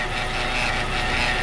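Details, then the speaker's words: Hyundai Veloster automatic transmission, cold car, shifted into drive; steady whirring drone with faint high whine over the engine, noise changes from neutral; a recurring fault on this model in the shop, cause not yet confirmed. "aí ó o barulho na transmissão engata o drive aí aí muda um pouco tá vendo"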